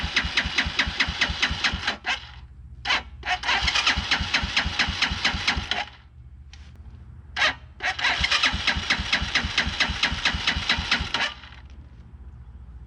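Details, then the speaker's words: 2010 Dongfeng DF250RTB 250cc single-cylinder air-cooled motorcycle after 10 years sitting, fresh gas added: two bursts of steady cranking about two turns a second, no firing; not getting fuel, so the carburetor comes off. "sh okay well that is not getting fuel all right guess the carburetor is coming off"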